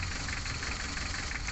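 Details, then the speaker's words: Mitsubishi L300 diesel idling rough with a lumpy, uneven knock, vibrating and down on power. Loosening cylinder 4's injector line made no change, so cylinder 4 is the dead, misfiring cylinder. "Sekarang kita coba silinder nomor 4 kita kendorkan pipa novelnya nah ini ya untuk nomor 4 ini kita kendorkan tidak ada perubahan"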